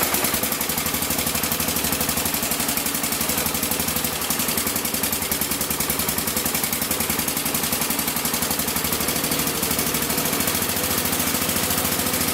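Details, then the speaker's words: Massey Ferguson 14 garden tractor with Kohler K321 single, before carb repair with the carb set to stock specs: it chuffs along fast and uneven with a ragged, popping exhaust and won't take throttle; cause not yet found. "as you can see I'm pretty sure it's not running right it won't take throttle so I got to figure out what exactly is going on"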